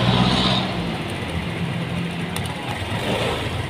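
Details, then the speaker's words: Honda Click 125/150i scooter after manual ECU/TPS reset for misfiring and bogging: starts cleanly and settles into a smooth, steady idle with no stumbling or delay. "So yan, okay na siya, wala na siyang delay."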